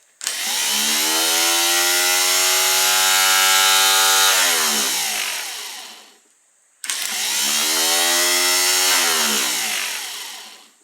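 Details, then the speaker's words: Rebuilt Austin Healey starter bench-tested: spins up fast to a strong even whir, holds about four seconds, winds down cleanly with the Bendix snapping back audibly, repeats smoothly; normal starter operation. "Watch that Bendix. Well, that Bendix flies back nice. You can actually hear it click."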